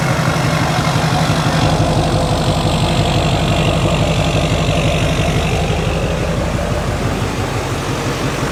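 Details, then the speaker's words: Junkyard LB7 Duramax diesel truck: steady, even diesel clatter at idle, about three pulses a second, no knocks or misses; healthy engine. "We know it starts. We know it runs. It sounds beautiful."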